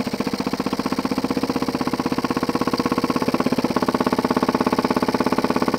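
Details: Jensen 20G steam engine, bought used, with a non-factory rubber or silicone cylinder seal; hard regular bumping about three a second (around 200 a minute) on every stroke, from a seal fragment loose in the cylinder. Fixed by remaking the seals properly.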